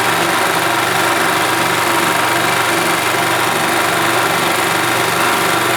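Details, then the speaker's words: 1991 Yamaha G8 gas golf cart engine after carburetor cleaned of junk and worn-out fuel pump replaced; steady, even idle with a light, quick patter and no misses or surging: runs smoothly and healthy. "you're right I think that is a result that is working as it should all right guys well there you go carburetor had junk in it and the fuel pump was shot"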